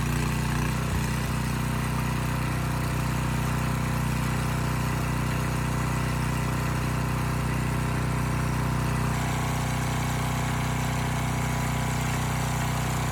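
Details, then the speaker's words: Abandoned Powermate generator with no AVR, running with no load after rust cleanup: steady, even low drone with a constant hum and no surging or misses; voltage brought down from about 135 V to 130 V; normal idle. "okay that's better and i know some of you are probably shaking your head that 130 volts is not good but the fact is this has no avr and a generator like this without a load typically runs at a minimum of 127 volts usually between there and 132"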